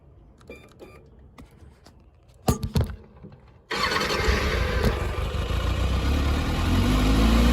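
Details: Kawasaki Ninja ZX-6R after fuel pump assembly diagnosis: a few clicks, then engine fires and runs with a steady, fast even beat, rising slightly; normal start and running.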